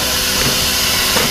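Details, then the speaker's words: Compressor during check and startup: steady sharp high-pitched hiss over faint machine rumble, air escaping at a fitting missing its gasket (empaque), possibly sealing itself off; compressed air leak. "Now, if you look, to show you how much of an air hog, No, es que no tiene empaque, como que no tuviera empaque."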